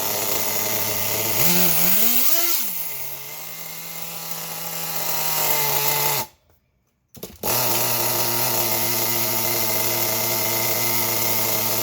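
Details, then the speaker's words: Nitro RC car engine after clearing an over-primed flood, air filter on: high buzzy engine blips twice, cuts out briefly, then settles to a steady even idle without hunting; normal idle. "when you're shutting these things off if it's sitting there at an idle like that like how it was just sitting is it'll flood the engine out"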